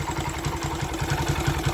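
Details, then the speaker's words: Honda Sonic 125 that would not start, with new carburettor flooding from dirt: fuel line replaced and fuel filter added, now it starts, cover left off to watch for flooding. Steady, even idle with a light regular patter, no stumbles or hunting; normal idle. "แต่นี่ผมยังไม่ได้ประกอบตัวนี้เพราะอะไรเพราะผมจะดูว่ามีน้ำมันท่วมหรือเปล่า"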